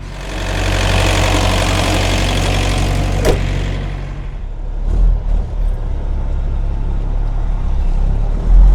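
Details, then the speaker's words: Truck reefer unit diesel after owner replaced its failed starter, started to pre-cool for a minus-10 load: steady even low rumble after a loud stretch, no misses or knocks; running healthy. "So, the unit should be starting any second now. There it is, y'all. That was the culprit right there."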